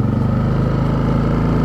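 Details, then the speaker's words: Champion 4500 dual-fuel inverter generator on propane, nearly new with 2.6 hours, eco mode off, output 122 volts 60 Hz: even, steady quiet hum with no surging or knocking; normal running. "I love this thing it's really quiet of course I just got it"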